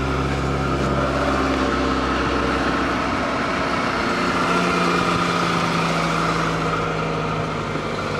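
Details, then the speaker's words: 1990 Chevrolet Cavalier, about 90,000 miles suspected, cold start: thin steady high squeal from a slipping accessory belt over a rough, even idle without misfire; it stumbles when the throttle is pressed. "besides the squeaky belt it don't sound bad you know that's the odd part"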